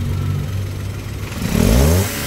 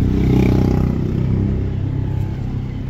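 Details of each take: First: Toyota Wigo petrol engine after fixing a P0203 injector #3 misfire: even idle, then a quick throttle blip rising and falling back smoothly. Normal running after repair. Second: Toyota Wigo idling rough with a lumpy low beat, cylinder 3 misfiring; scan shows P0203 injector #3 circuit fault, one cylinder dead.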